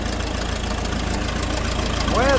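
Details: Old grey Fergie petrol tractor, just started after years sitting in a field: a steady, even low idle with no knocks or misses, running sweetly despite an oil leak of unknown source.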